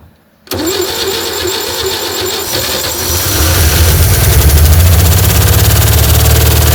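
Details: 1960 Chevy C10 235 six revived after 40 years, running on gas with oil pressure unknown. It settles into a rough idle with quick, uneven ticking. The owner suspects an exhaust valve hanging up and plans to back off the valve adjustment.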